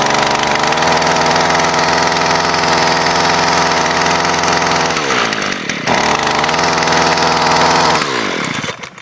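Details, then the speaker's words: Gas string trimmer started cold in freezing weather, not warmed up: high buzzing two-stroke rev that sags once, picks back up, then shuts off; normal running for a cold engine. "Yeah, it's freezing cold out here. Obviously, that's not warmed up. Yeah, it's kind of cold out here, so makes it cold starting, and most of my equipment's not really cold-blooded."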